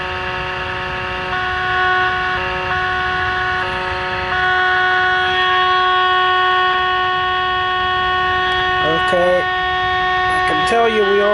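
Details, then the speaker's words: Sylvania AA5 tube radio during alignment, test signal fed through a 0.1 µF capacitor to pin 7: loud steady tone with pitch shifts as it's tuned. Receiver overloaded even with the generator attenuator at minimum output. "I am on the minimum output my attenuator cranked all the way down and we still got way too much signal"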